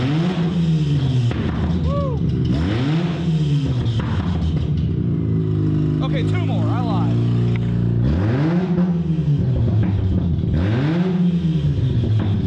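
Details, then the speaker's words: 2005 Mazda RX-8 1.3L rotary with catalytic converters stolen, just started: very loud raw exhaust rising and falling with each throttle blip; loud exhaust from missing converters. "I'm not sure if you can hear me because I'm going deaf, but this thing is loud."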